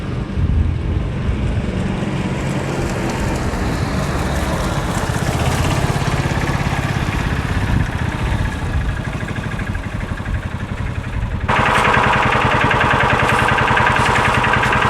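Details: 2000 John Deere 4X2 Gator, fully reassembled after ignition coil replacement, ridden on a chilly day: small engine pulls along at a steady, even beat, rain hissing later. Runs clean and healthy.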